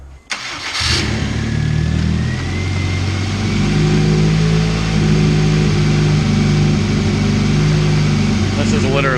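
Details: Honda CR-V turbo build first start on S300 ECU with quick base map, after new timing belt, head studs and welded exhaust: cranks briefly, fires within a second, settles into steady even idle, no ticking, puffing or misses; normal idle.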